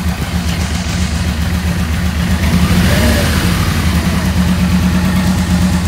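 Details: 1986 Yamaha Venture XVZ1300, about 30,200 km, during carburetor balancing: even, settled idle with a brief gentle blip midway, then back to a smooth steady beat; nothing rough or missing.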